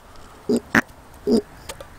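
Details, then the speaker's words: Standard 8's mechanical petrol pump, which had caused a breakdown, reassembled after its diaphragm linkage was refitted, lever worked by hand at the microphone: short wheezy pulses about twice a second as it draws and pushes, apparently working now. "Hopefully the microphone's picking that up, but that is the sound of what is hopefully a working fuel pump."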